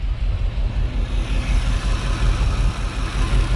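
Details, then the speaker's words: 1987 Chevy Suburban after an engine swap, third motor, not run in five years, distributor timed by ear. Deep, lumpy idle with uneven thumps; misfire on both banks, old plug wires or distributor advance suspected, not confirmed. "listen to it guys here's a p here's a purring this thing hasn't running 5 years it's the third motor yeah it's got a Miss I don't know if that's a plug wires or what we're going to have to sort that"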